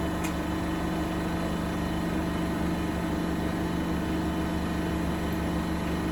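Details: Bosch WFP3300 washer with new bearings, bearing seal and door seal, high-speed spin: steady hum with faint loose buzzing over drum roar; owner suspects a panel rattling, unconfirmed.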